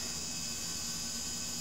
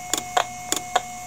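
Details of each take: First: 20 GB Maxtor hard drive on power only, with no interface connected and heard before the pickup-coil listener is applied: faint steady high whine over a soft fan-like hiss with a couple of small clicks. Normal healthy spin-up. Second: IBM "DeathStar" hard drive heard through an electromagnetic pickup coil, failing to load firmware after spin-up: paired sharp ticks about every 0.6 s over faint hum as heads retract to stops and retry, motor dipping and recovering; dead drive.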